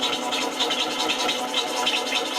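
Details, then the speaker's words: Bowl gouge cut on a woodturning lathe where the speed-to-feed-rate ratio is wrong: dry, scratchy hiss with jerky, grabby rasping bursts. The grab then went away. Grabbing tool cut. "it was a little grabby. Did you hear how it was grabby? And I got rid of the grab."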